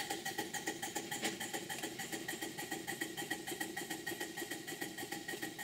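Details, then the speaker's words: Model twin steam plant, Cyclops engine, new boiler priming from soldering impurities: chuffs about three a second as regulator opens, initial condensation then very wet steam with faint gurgling. "initially there's a bit of condensation but then off it goes the steam is still very wet and you can hear it gurgling if you listen carefully"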